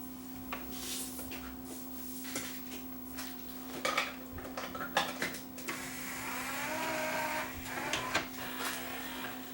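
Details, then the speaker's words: Yamaha 5-disc CD changer after load belt replacement: steady motor hum with smooth tray open/close travel, motor no longer slips or labours; normal tray load and eject, these units are somewhat noisy anyway. "These things are noisy, these machines, when they open. When they open and close, these things are relatively noisy anyway, so."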